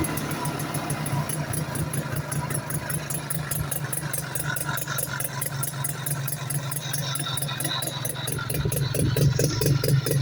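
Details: 1972 French Advancer with a Sachs rotary engine, start-up after rebuild: steady, even low buzz with fine regular ticking, no knocks or misses; running cleanly.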